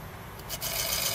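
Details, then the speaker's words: NEC PC Engine CD-ROM² drive: the spinning disc adds a dry, steady hissy rasp over the whir. The spindle is probably rubbing on the plastic housing; the planned fix is to put something on the inside of the plastic where it rubs. "I think it's the spindle thing on Stoppers if you move it can you say it's gone"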